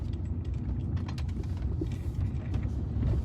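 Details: BMW 1 Series, high-mileage motorway car, driving after replacing lower suspension hub bush in situ; low steady road rumble, faint cabin rattles, no clunks or knocks over bumps; original noise gone, suspension tight.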